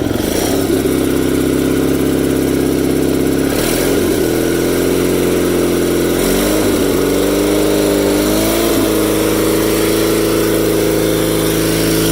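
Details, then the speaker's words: Cub Cadet 782 tractor with a 35-year-old twin engine that burns a little oil on one side: a steady, even twin drone with small smooth rev changes and no knocks or misses; runs great, normal running. "But it runs great, and it seems to have a lot of power. And she sounds good, that's for sure."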